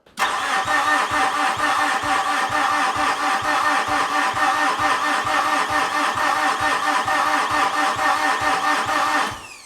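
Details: 2013 Mitsubishi Fuso FG 4P10 diesel, no-start, cranked with injector lines blocked while the rail return stays open to test fuel pressure: steady cranking with even compression pulses for nearly ten seconds, no firing.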